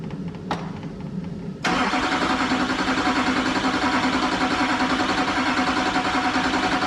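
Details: 2001-04 Chevrolet Duramax LB7 diesel after injector replacement, fuel primed and coolant bled; short crank catches at once and settles into a steady, even idle around three and a half pulses a second with no misses; normal start and idle.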